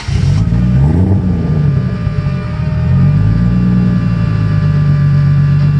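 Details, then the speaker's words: Toyota Cressida MX83 drift car with a 1GGTE turbo engine, after installing a new 4-inch stainless perforated-tube muffler. A deep, steady exhaust rumble dips and swells with throttle, with no blowing or rattling. A healthy muffler note. "um who doesn't love that sound [Music]"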